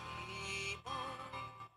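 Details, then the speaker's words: Redmi 4A whose ringer buzzer was originally cracked: after replacing the UI board (charging, speaker, antenna, mic), music plays full and clear from the loudspeaker with no buzz or distortion. The earpiece call speaker is still faulty. "Kalau kita dengarkan dari sini, dari musik suaranya sudah normal, suaranya sudah normal, tidak ada masalah."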